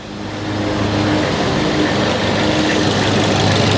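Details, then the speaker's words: 2013 Ford Focus ST after fixing an overheating problem where the radiator fan would not come on, idling at about 212°F after a test drive: steady idle with an even rushing whoosh from the cooling fan, no knocks; fan running normally. "oh I can hear the fan is on so our fan is on it's yeah it's down to 212 now I didn't know if I'd be able to hear the fan but I could hear it come on"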